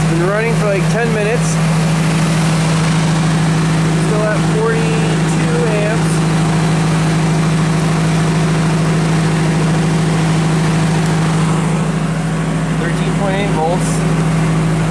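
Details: Genie boom lift with a dead battery on a cold construction site, started with a NOCO GB70 boost pack: a steady, even idle with no misses, knocks or hunting, just a smooth constant drone; normal idle.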